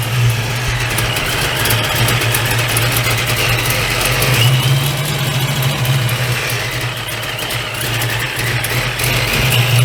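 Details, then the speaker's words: Procharged Fox-body Mustang V8 with a big cam, idling just after the belt was fitted: choppy, uneven lumpy idle with a deep rumble and a raspy hiss from an exhaust leak. "let me um let you guys hear it has a big cam in it and let me see if we can see that and it has an exhaust leak as"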